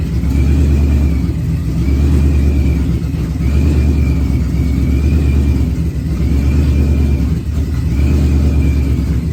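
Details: Procharger-supercharged Ford Coyote V8 at first fire-up, running on the external fuel pump because the in-tank pump isn't working: steady idle between repeated throttle blips, rising and falling cleanly, faint supercharger whine, running healthy.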